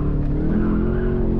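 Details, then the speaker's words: 2013 Camaro SS 1LE on Michelin Pilot Sport 4S tires at an SCCA autocross, pressures around 31 psi, light rain starting: engine drone under acceleration with a thin tire squeal as the rear slips; the driver suspects the tires are slightly overinflated. "you could hear it still squealing a little bit which suggests that the tire's a little too inflated um but it's pretty good"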